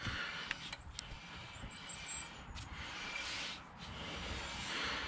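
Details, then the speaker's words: Volvo S80 (P3) raised on a jack, wheel turned by hand: faint uneven scraping and grinding from brake binding; caliper pins suspected, brake bleeding considered, cause not confirmed. "there's definitely some rubbing there as well um might even bleed the brakes see if that's um could be a cause"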